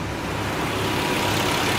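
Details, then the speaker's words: Nissan 300ZX petrol V6 after misfire repair work idles with a steady, even hum, no previous hiccup; runs smooth, though water temperature is a bit higher than wanted and fuel filter change still planned. "Man. She sound like she running smooth, fellas."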